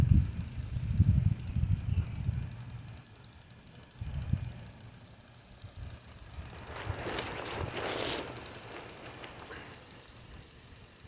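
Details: Modified Mamod Brunel MK II model steam engine running normally after an exhaust adapter fixed an exhaust leak that was blowing out the fire: slow soft chuffing about once a second with brief steam hiss.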